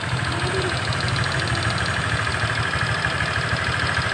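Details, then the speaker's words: Honda Vario 125 scooter engine at idle: light, regular ticking knock over low rumble; mechanic classifies it as a striking knock rather than a hum, clicking heard both at the middle and upper engine. "konsumen yaitu motor ini Suaranya berisik berisik ini masih kita jabarkan itu ruas ini adalah maksudnya setelah kita koreksi arahnya ke arah pukulan dari titik-titik begitu kalau sudah ke arah pukulan maka itu bukanlah suara dengungan dengungan sama pukulan itu"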